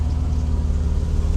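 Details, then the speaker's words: Mercedes W126 300SEL idling after oil pan repair: deep, even rumble with quick rhythmic puffing from a cracked rear exhaust tailpipe leak. "We can hear it at idle. Puff puff puff puff puff. This exhaust needs to be fixed."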